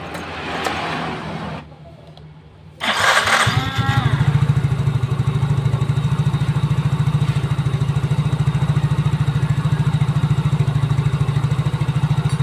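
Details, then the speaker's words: Mio GT scooter after rebuild for a harsh noise suspected from cylinder block or piston: starter whirs, engine catches and settles into a steady, even low putter with no knocks or rattles; healthy idle. "teman-teman mesin sudah hidup dan alhamdulillah suaranya langsung halus ya"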